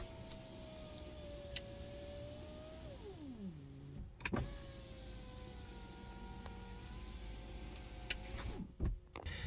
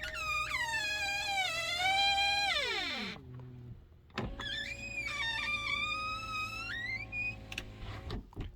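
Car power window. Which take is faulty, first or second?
second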